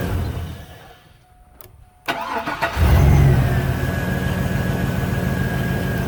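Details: 2000 GMC Z71 after fuel pressure regulator replacement to fix hard starting with no codes: quiet, then a short crank catches fast and settles into a smooth, steady idle. A healthy start with no stumble.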